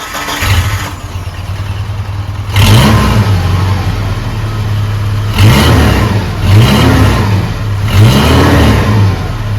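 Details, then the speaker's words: 1987 Dodge Ram 50 (Mitsubishi Mighty Max) after a new muffler, extension pipe and 2-inch clamp replaced the rotted exhaust: low mellow idle with clean throttle blips, no rasp or leak, a healthy exhaust. "See, that's how an exhaust is supposed to sound. It's not bad. It's not furious. It's just here to quietly do the work."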